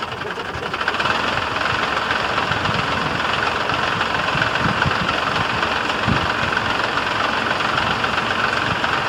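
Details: Diesel truck cold start (engine uncertain, either the International DT466 or the F350 6.9 IDI): rough, busy clatter settling into a steady idle rhythm with no misses; normal cold idle.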